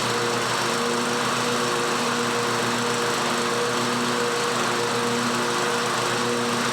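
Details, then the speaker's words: John Deere 130 lawn mower after replacing blades and refitting deck: steady even engine drone with blades whirring, no knocks or rattles; normal running with deck engaged. "so now the deck is back on let's go ahead and start it up and see if the blades will spin for us"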